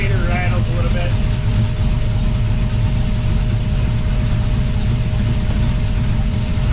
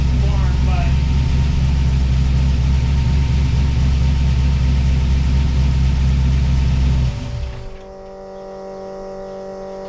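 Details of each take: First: 1979 Pontiac Firebird with a swapped 5.3L V8 idling before repair: steady deep idle with a faint uneven rattle underneath; runs poorly from a vacuum leak at a hole in the back of the intake manifold, to be plugged with a screw. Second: 1979 Pontiac Firebird with a swapped 5.3L V8, idling after the intake manifold leak hole was plugged with a bolt: steady, lumpy, even deep beat for about seven seconds, then shut off; a little smoky but healthy idle.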